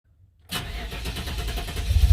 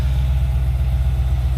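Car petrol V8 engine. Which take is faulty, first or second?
first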